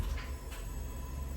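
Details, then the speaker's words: Fiat 500 Sport automatic after gear engagement and selection-position relearn and clutch bleed: two sharp actuator clicks over low engine rumble when selecting first, reverse and neutral, with the actuator pump cycling at times. Gear selection now working normally. "so you can hear that clicking, into reverse, and then back up into neutral, back into first, in reverse. So it does seem like at the minute it's working correctly and how it should do."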